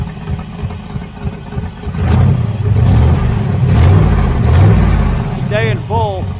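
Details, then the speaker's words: 1980 Camaro Z28 V8 with a newly installed knock-off Holley 4-barrel carburetor: steady low rumble with gentle rev rise and fall, even firing, no knocks or misses; belt squeal has stopped, engine running healthy. "Motor sounds good. The belt stops squealing."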